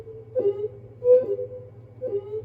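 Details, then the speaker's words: Marshall DSL40CR guitar amp, reverb tested on the lead channel; each plucked note rings on with a smooth, splashy tail that fades cleanly, so the spring reverb works; the amp's actual fault is circuit board flashover. "Yeah, there's plenty of reverb there. So, everything appears to be working fine on this."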